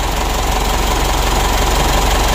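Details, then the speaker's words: 2012 Mitsubishi Pajero Sport Dakar diesel, running with revs; harsh gravelly rubbing drone over idle; mechanic suspects foreign object drawn in damaged turbine, turbo rubbing. "kita dengar ya itu kalau dikasih itu seperti ada sentuhan benda begitu Lur menggesek ya jadi menurut saya pada turbonya ini"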